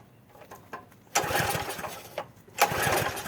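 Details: Troy-Bilt pressure washer small engine, first start after about 4 years sitting, only fresh gas added: pull-cord rustle, then two short sputtering bursts that catch briefly and die. Hard starting because the choke had been knocked off.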